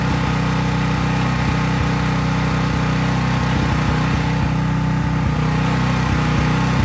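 An even, steady engine drone held at constant speed with no misses or knocks; the generator runs fine with no load.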